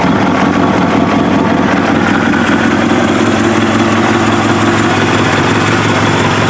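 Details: Kawasaki ZX7R race bike with FCR41 flatslide carbs, synced and fuel screws leaned from 2 to 1 turn out, warmed up: steady four-cylinder idle hunting slightly between about 1250 and 1500 RPM; acceptable.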